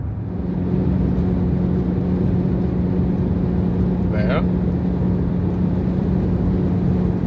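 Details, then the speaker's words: Jeep Grand Cherokee WK2 on the way to the freeway: steady low hum over road and wind noise from the plastic windshield cowl between hood and windshield, gapped at its rubber seal, heard when wind speed on the cowl reaches 70-100 mph. "this is about the cowl noise they call it cowl the plastic part between the hood and the windshield uh that is making a noise at certain"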